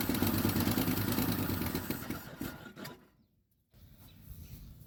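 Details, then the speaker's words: 1976 Ford F-250 with Holley 600 vacuum-secondary carb, fuel poured in to start: runs loud and lumpy, then stumbles and dies, not firing on all cylinders; owner suspects stuck piston rings. "well she's not hitting on all cylinders and uh that sound I'm hearing in the star it could be a totally um not froze cylinder but froze rings"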